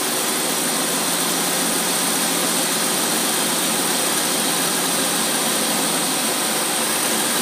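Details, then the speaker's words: Holley "tpot" carburetor tested on a running engine in 95-degree heat with the choke off. It idles steadily with a heavy hiss and no stumbles, slightly rich at idle, so the mixture will be leaned a little; the carburetor is judged faultless. "man that that carburetor that carburetor could not run any better it was almost literally impossible for it to run any better"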